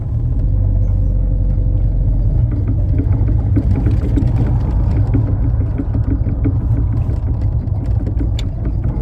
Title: Knocking noise on the triumph Spitfire 1500 HELP